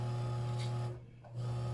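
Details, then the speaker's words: Older Kenmore sewing machine, badly seized, being freed with WD-40 after the belt was re-tightened: low motor hum bogs down and nearly stalls, then picks up, sounding like a tractor. Stiff from old dried lubrication; sews but still noisy. "oh oh she sounds like a tractor there we go that's the part I like the best"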